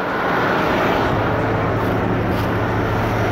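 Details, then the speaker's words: 1974 Dodge Winnie Wagon B300 one-ton van's first start, fed from a boat tank under the hood: low, steady V8 burble at idle, even rhythm, no misfire or knock, then smoking as it burns off oil poured into the cylinders. Normal idle. "me yes sir winie wagon is idling making some noise yes"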